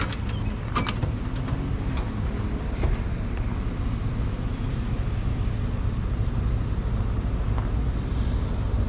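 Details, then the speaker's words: Rebuilt Caterpillar 3406 diesel in a Kenworth W900 day cab with 10-inch stacks, whole truck rebuilt within the last year, idling: deep, steady, even low rumble, no knocks or rattles; healthy normal diesel idle. "Oh, you can climb in and fire it up if you want to. See how this thing rumbles."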